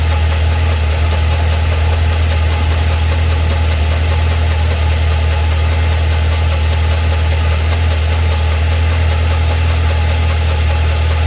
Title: 2012 CTS-V Ticking/Knocking Sound